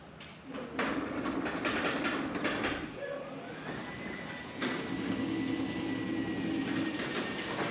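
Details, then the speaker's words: New Genie 6172H-0 wall-mount jackshaft opener on C.H.I 5916 insulated steel door with nylon rollers and 15 in radius track, measured about 40–45 dB. Soft rumble, faint steady motor hum, no grinding or banging: normal quiet operation. "All right, there you go. You can see this is much quieter. It's about 40 dB, maybe 45 dB."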